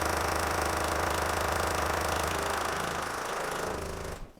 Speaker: Today we have this Jaguar XF. It's a 2006 3-litre TD V6 and the customer complaint is there's a tapping noise coming from the engine.